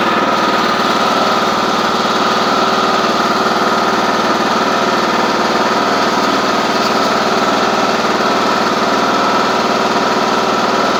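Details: John Deere D110 cold start: the small engine idles steadily with a light, fast clicking over the exhaust beat. Source of the clicking is unclear.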